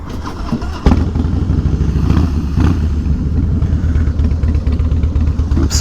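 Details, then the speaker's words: 2017 Harley-Davidson Softail Slim V-twin that had been slow to crank; starter catches within a second and it settles into a steady, even lumpy idle, no stumbling: normal start. "Sounds like it's working."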